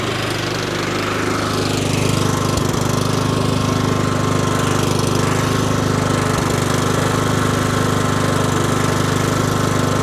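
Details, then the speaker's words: 20+ year old John Deere L110 lawn tractor, after reseating spark plug boot and starting on choke: steady, even single-cylinder idle at low RPM, no misses or stumbling, clean throttle response. "It ran great. Um, soon as I gave it some choke, it fired right up. It idled very well at a low RPM."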